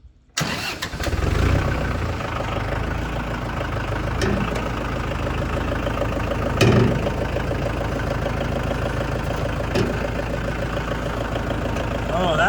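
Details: Tractor after brake and transmission repairs and cooling system flush, fluids rechecked and warmed up to temperature: brief crank, quick catch, then even steady diesel idle with no knocks or misses; healthy start.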